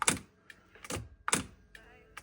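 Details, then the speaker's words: Sony TC-K777 cassette deck during playback: pairs of relay clicks as playback engages, with intermittent loss of left, right or both channels; relays suspected, cleaning planned. "sometimes Left Channel sometime both sometimes one channel this like two relays we have here on the board I I hear them clicking uh when we engage playback"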